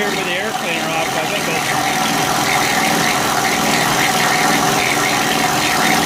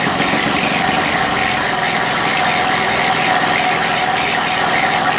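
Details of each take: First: Honda EU3000is generator, reassembled with old gaskets, started on choke, sounds a little weird: steady run with fast tapping, about three or four per second; owner thinks it's from the crankcase, unsure if normal. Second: Honda EU3000is generator after a valve adjustment, sediment bowl cleaning and exhaust refit with the old gaskets, previously noisy: steady, even hum with no knocks, misses or surging. Now running smoothly and quietly.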